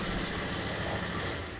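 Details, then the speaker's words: First-generation Honda Beat FI, kick-started: busy, clattery idle with a fast light ticking; loose valve clearance suspected, and the valves are to be adjusted. "Biasanya, suara itu, eh, suara itu biasanya berasal dari sana."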